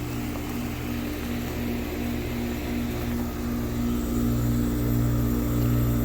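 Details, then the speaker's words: Outdoor AC/heat unit called on; loud steady hum with condenser fan not spinning, starts if pushed; failed run capacitor, fixed by replacing it. "you can hear the humming you can hear the humming but the fan is not running"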